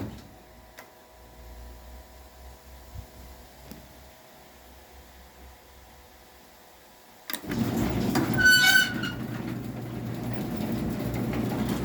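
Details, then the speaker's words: Craftsman garage door opener (compared with a Stanley Standard) running the door down: quiet, then the motor starts and a loud, sharp, high screech rings out as the door begins moving; cause unknown. "And disregard the loud screech it makes, I don't know what's causing that."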